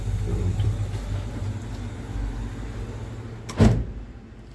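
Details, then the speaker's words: Display-case refrigerator with a new R134a compressor replacing the burned-out motor, running after R134a charging, floor section cooling; steady low hum under room noise with one brief knock, sounds settled; normal compressor running. "Polni sovyapti. Sovichlari zo'r, hamma zo'r ishlayapti."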